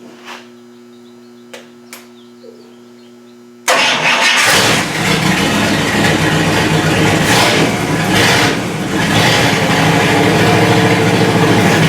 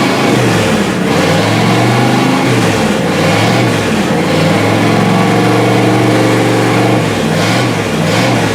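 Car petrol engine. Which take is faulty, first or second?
first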